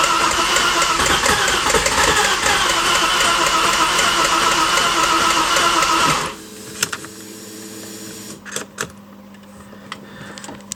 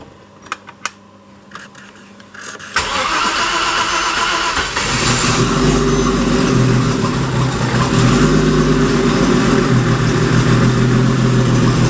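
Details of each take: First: Porsche Boxster engine, freshly rebuilt, first start attempt with oil pressure pre-built: steady cranking about six seconds with no firing; coil and injector outputs work, event log shows broken crank position signal. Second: Porsche Boxster turbo engine in an Audi S4, start after rebuild and after fixing a broken, probed crank sensor wire: quiet ticking, cranks and catches at about three seconds, revs rise smoothly; starts cleanly.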